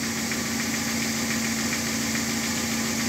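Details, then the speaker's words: Car alternator flat belt after spraying WD-40 directly on it: steady even engine hum, squeal gone, belt now running quiet; temporary first-aid fix for belt squeal. "И он вообще стал тихо работать. И так периодически можно на него брызгать. Слышно, да? Тишина."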